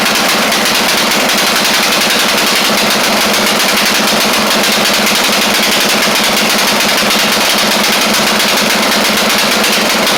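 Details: Craftsman LT1000 mower with Briggs Intek engine pinned at high revs: a ragged, uneven crackle in the exhaust beat, sounding very rich up top. The carb or mixture screw out too far is suspected; unconfirmed.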